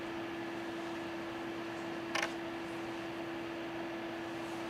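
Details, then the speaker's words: Data I/O 2900 chip programmer fan picked up on a second mic while it boots: quiet, steady hum holding one even pitch with no rattle or surging. Fan running normally. "Turn this mic on. You can hear the fan. Maybe it's coming through."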